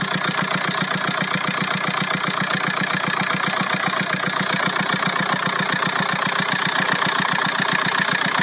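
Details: VW Golf 4 1.9 TDI 115 4Motion diesel at idle: steady, regular tapping at roughly 150 per minute over the engine note; owner hears a strange engine noise, cause unknown.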